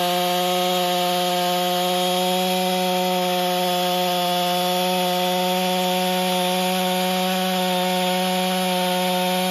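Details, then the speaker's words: Husqvarna 562XP chainsaw after repair, running under load with a steady, strong even drone and no stumbling or surging. It had been hard to start and wouldn't idle. A vacuum/pressure test found an air leak at a bent decompression valve stem. It runs normally now. "oh seems to run fine I was a little disappointed that it didn't start right away"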